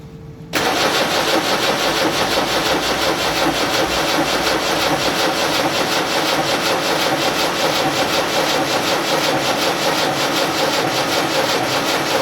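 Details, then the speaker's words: Land Rover Series 3 diesel, cranking with injectors loosened and a little throttle applied: starter churns over ten seconds without catching; fuel starvation, nothing from one injector despite bleeding, slightly more fuel appears afterward. "um but there's absolutely nothing coming out of that one i don't get it i just don't get it"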